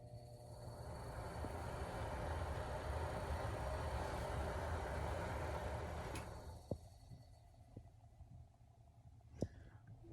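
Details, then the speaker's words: Broan bathroom exhaust fan after a DIY motor assembly replacement, reusing the old motor's studs, reinstalled and tested: soft, smooth, steady low hum that then winds down quietly, no rattle or squeal; fan runs normally. "So I just slid that back in and just proved that it works."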